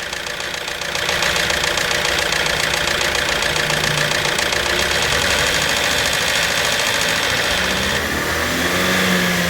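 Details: Hyundai Santa Fe petrol, very thick engine oil not reaching the top of the engine, revved; loud metallic clatter rising with revs, heavy in treble, another mechanic blamed pistons — timing chain noise, worn timing chain and gears.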